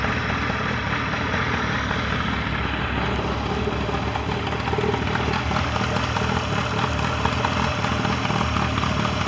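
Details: Mercury 40HP outboard on a Tracker Pro Crappie 175, earlier no-start was user error: steady, even drone with no knocking, surging or stumbling; healthy.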